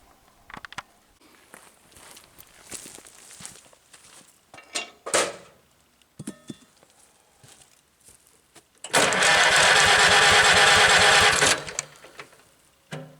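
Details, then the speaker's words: Farmall B tractor after magneto timing on cylinder 1, new gapped plugs, 4-year-old plug wires: steady cranking about three beats a second, hint of firing but never catches. Cranks, won't start. "try a little choke. Almost wants to. I don't get it."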